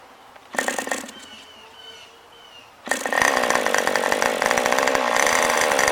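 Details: New OS 40 FSR model engine, second tank of break-in: tiny engine screams at a high steady pitch, revving higher than intended; owner wanted mid-range rpm; high and low speed needles not yet set.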